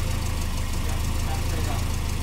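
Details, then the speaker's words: Corvair "Fozzie" after swapping out a junk motor that had water in the oil and piston slap: low, even idle rumble with a steady beat and no knocks or slap; replacement engine runs smooth and quiet. "got it nice and quiet finally it was actually it sounded good with that junk motor didn't sound bad just it was had water in the oil water in the oil and had a little bit of piston slap"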